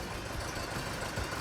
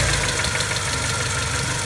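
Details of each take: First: 1984 Porsche 944 during timing belt and water pump job: irregular thump and slight shake at idle like a cylinder dropping out; owner suspects the reference sensor or the other sensor, unconfirmed; rough, misfire-like idle. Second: 1984 Porsche 944 after timing belt and water pump replacement: steady, even idle with smooth low rumble, no ticking, knocking or belt whine; normal idle.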